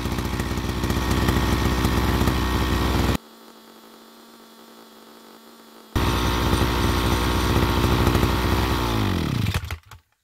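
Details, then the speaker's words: Two-stroke petrol brush cutter idling, fuel valve closed so the carburetor runs dry. Steady buzzing idle, then revs sag and the beat slows before stopping: normal shutdown, which keeps the carburetor clean for easier starting. "예 이렇게 시동이 걸려 있는 상태로 연료 밸브를 잠그면 케레트 안에 있는 연료를 깨끗이 소모를 하면서 자동적으로 시동이 꺼지지"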